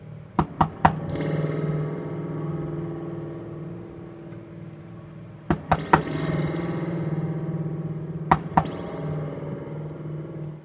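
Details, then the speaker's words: Rogue PRM-806 mixer after repair and reassembly, with the chassis tapped: a springy, metallic ringing tail that decays smoothly each time through the reverb spring; the spring reverb is working normally. "don't think the reverb works yet you can hear it through that spring"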